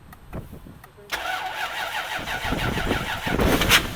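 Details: Cheap, knackered Lexus LS400 V8 engine-donor car with many MOT failures, started with the bonnet open. About a second of cranking, then it catches and runs lumpy and uneven; the owner thinks it is barely on more than half its cylinders (cause unconfirmed).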